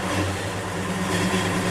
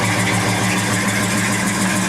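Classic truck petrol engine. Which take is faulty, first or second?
first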